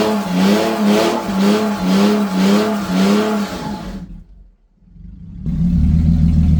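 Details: BMW E46 330ci, abandoned over 6 years, revving: rhythmic pulses with a loud, raw, booming exhaust note; loud because the catalytic converters are missing from part of the exhaust.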